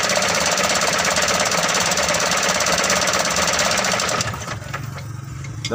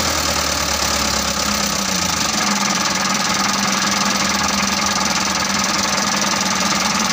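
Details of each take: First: Mitsubishi Canter 125 diesel, hard starting, injection pump being adjusted: loud uneven clatter for about four seconds then stalls, won't hold idle; mis-set injection pump. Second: Mitsubishi Canter 125 diesel truck that was hard to start, running after the injection pump was bled and its timing set: steady, even clatter with no dying or big stumbles. Slightly rough, and the result is not fully satisfying, but it runs.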